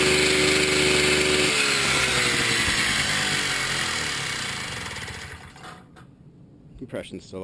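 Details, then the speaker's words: Series 1 Piaggio Ciao moped, reassembled with new gaskets and new head with decompressor: engine spins over fast, then winds down with soft even puffs and never fires; still lacks compression, leak not believed at the cases, sucking air suspected. "So, still have a lack of compression, but got a little further. I don't believe the leak is at the cases"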